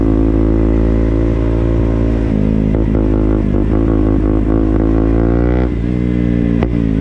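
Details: KTM Duke single-cylinder motorcycle engine: loud steady metallic clatter riding over it through light revs; abnormal clatter, source unclear.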